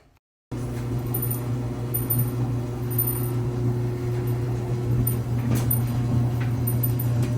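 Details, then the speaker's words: Samsung dryer with noisy operation, cabinet opened: loud steady low hum and rumble with rough rolling noise from the worn back left drum support roller; front rollers, idler pulley, motor and blower wheel checked as the other suspects. "you can see the back left roller is the main issue"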